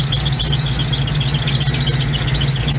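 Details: 1971 Chevy C10 long-sitting yard find, driving: under a loud low engine drone, a thin high chirping squeal pulses a few times a second; likely slipping belt, truck needs new belts.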